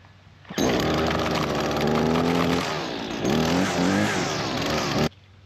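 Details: Husqvarna 223L two-stroke string trimmer that previously wouldn't run, after a carburetor kit rebuild with new spark plug and fresh gas; no carb adjustment needed. Crisp high buzz climbing and settling cleanly through throttle blips. Running normally.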